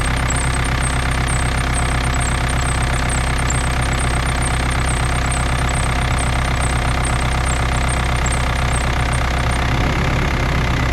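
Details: BMW E39 with M47 diesel engine at cold idle: diesel clatter with a faint high chirp repeating a few times a second and tracking engine speed. The squeak occurs with the engine cold.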